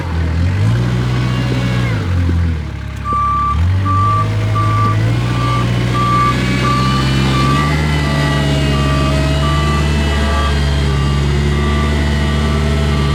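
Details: Kubota 520 hydrostatic wheel loader after the forward and reverse relief valves were swapped: diesel pulls cleanly, pitch rising and settling with load, reverse alarm chirping. Drive is responsive; the relief fault moved to forward, implicating the relief valve.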